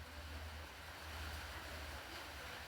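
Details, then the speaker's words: Whirlpool Smart System washer after fixing a lockout from an actuator not engaging fully: low, rhythmic churning with water sloshing, steady and even; normal wash agitation. "cierto, estas máquinas hacen un lavado bastante intenso, bastante bonito, bastante profundo."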